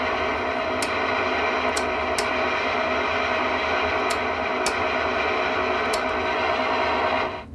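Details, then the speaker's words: TX-300 after preamp repair of a bad transistor, super-glued relay and a non-stock added circuit: steady, very slight low hiss with faint hum and a few light ticks; whole preamp circuit now works as it should. "Hopefully that translates, but this is repaired now. The whole preamp circuit works the way it's supposed to."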